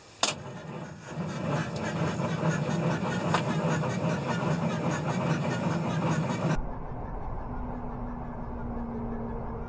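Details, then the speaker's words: Diesel cranked at max throttle in cold weather drags over slowly, about two and a half turns a second for five seconds, never catching; two brand-new batteries on trickle charger; owner unsure whether batteries or thick cold oil, plans battery test. "i think we're going to call this a battery fail which you know i put two brand new batteries in this thing i don't know if it's battery fail or if it's just so um the oil is so thick but it's not wanting to start"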